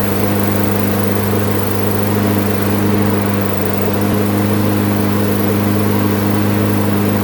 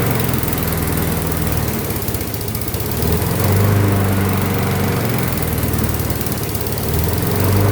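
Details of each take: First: Craftsman front-wheel-drive mower, good plug, sharp blade, metal chunk removed from blade-adapter pulley, oil not yet changed: constant unwavering drone with no surging or hunting, holding steady governed speed; normal steady running. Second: Craftsman front-wheel-drive flathead mower with no power: low putter swells and sags about every four seconds, hunting and labouring; dirty carburetor first suspected, but spark plug reads lean, cause unconfirmed.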